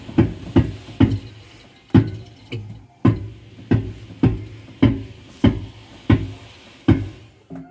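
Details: Electrolux EDH3674PDE heat pump dryer, bought April 2019, running: heavy rhythmic thumps about one to two per second as drum turns, from a worn drum support roller.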